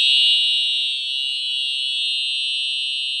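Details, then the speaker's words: Simplex 4004 panel fire alarm system with Simplex TrueAlert 4903-9425 horn/strobes, coded to continuous, indoors: very loud steady high-pitched horn without a break; whole system in continuous alarm. "And as you can hear, that is extremely loud."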